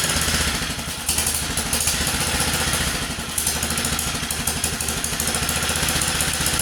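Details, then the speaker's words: 1947 Whizzer Model H single-cylinder engine, freshly revived and idling as it warms with the choke taken off: quick, steady putt with crisp exhaust pops and no knock or rattle; it idles poorly until warm. "As you see, it runs. It doesn't idle well until it warms up, but it's pretty cool that it runs, just regardless."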